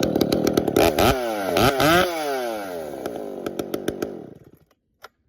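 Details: Chainsaw warmed up at about 45 degrees, restarting: fires right up and revs cleanly through a few quick blips, then idles down and shuts off; normal warm restart.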